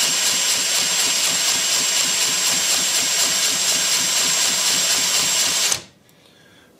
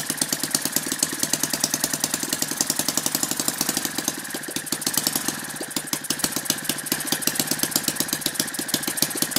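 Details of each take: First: Lynx 15 small model engine, first crank after final assembly, compression seemed low, no head gasket or sealer, spark plug loose: steady high starter whir spinning the engine about six seconds with no firing, then stops. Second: Lynx 15 small model engine on two-stroke mix after refitting the fallen-off tank pickup tube that let the carburetor suck air, compression now much higher: fast, steady, crisp even firing, no misses or knocks; starts easily and runs healthy.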